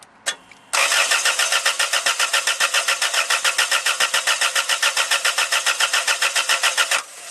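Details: Toyota Tarago/Previa/Estima van, coil lead disconnected for a cold start injector test with a multimeter on the injector plug: steady starter cranking at about three and a half beats a second for six seconds, never catches; no spark by design.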